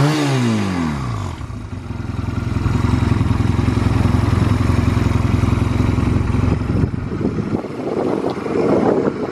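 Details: Stored Honda Rebel 250 Special (MC13) in a start-up and operation check: it fires and settles quickly to a steady, even idle beat of about three to four pulses a second. No knocking; no abnormal engine noise.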